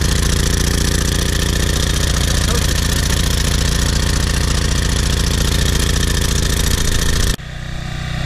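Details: PowerFlow Plus pressure washer, Briggs & Stratton 190cc engine, after cleaning a carburetor clogged with dried ethanol gas and oil from sitting over a year: single-cylinder runs evenly with a steady quick beat, then shuts off; normal running.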